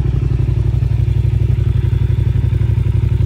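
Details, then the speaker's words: 2008 Yamaha TDM900 twin, 163,128 km, light drop, apparently aftermarket pipes: deep, even steady idle thump, regular pulses with no knocks or top-end clatter; normal healthy idle. "Starts and runs and idles beautifully. Motor sounds good."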